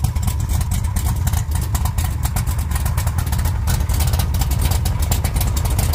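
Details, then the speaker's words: 1956 Chevy Tri Five V8 idling with new mufflers, run on a makeshift setup with the water pump belt off and a temporary cooling fan: deep, steady rumble with even exhaust pulses and no misses or rattles, a normal idle. "all right let's let him hear what it sounds like with the new mufflers"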